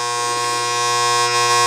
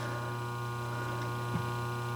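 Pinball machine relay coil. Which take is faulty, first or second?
first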